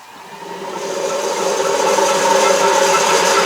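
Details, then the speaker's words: Drill press driven by a VFD set to the default 5-second acceleration: motor hum builds smoothly over about five seconds to a steady running pitch, no clunks or rattles; normal controlled spindle ramp-up. "now I'm going to turn the machine on and notice that the Chuck doesn't come up uh or the spindle doesn't instantly come up to speed it will take 5 Seconds to come up to speed and that's called ramping up"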